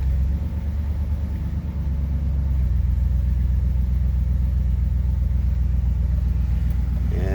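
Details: 1992 Dodge W250 4x4 with a 360 LA throttle-body V8, 250,000+ miles, cold start after sitting over 24 hours: deep, steady low rumble with an even beat, no ticks or knocks; healthy cold idle with plenty of oil pressure.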